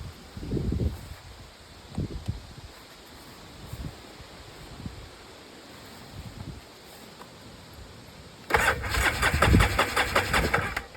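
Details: Free Polaris 700 quad, running on a weak battery with bad connections and a mouse nest found. Faint starter sounds, then a loud burst of cranking; it turns over but never catches. Owner suspects the fuel pump.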